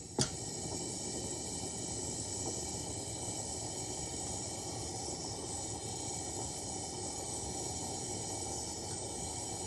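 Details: Repaired 1952 Coleman 252 pressure lantern on a size 21 mantle, probably too small: sharp pop then a steady loud roaring hiss as fuel hisses through. Unusually long fireball on a junky, damaged mantle.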